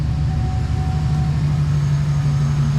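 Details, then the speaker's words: Truck V8 after replacing a bad ignition coil to cure a misfire: a deep, even idle rumble with no stumbles, audibly smoother at the exhaust; misfire fixed, normal idle. "Much smoother. Yeah, substantially different. You hear it in the exhaust, too. Oh yeah, lot smoother."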